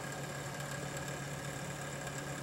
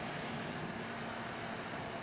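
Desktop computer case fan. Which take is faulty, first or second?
first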